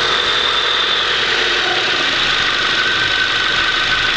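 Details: Honda CRX at idle: steady airy hiss over an even idle with no change in rhythm, like air being sucked in; owner suspects a vacuum leak at the idle air control valve (IACV), unconfirmed.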